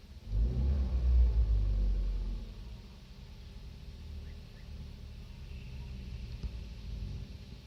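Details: 2015 Kia Rio: a short rev, then a low, quiet idle with a soft, fairly even engine knock around four per second; exact cause cannot be pinned by ear.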